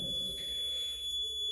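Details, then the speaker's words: Maxwell inductance-capacitance bridge lab setup with supply on: speaker gives a steady high-pitched buzz because the bridge is unbalanced. "okay, now we are switching on our supply. Okay, now you can hear this buzzing sound, okay, from this speaker."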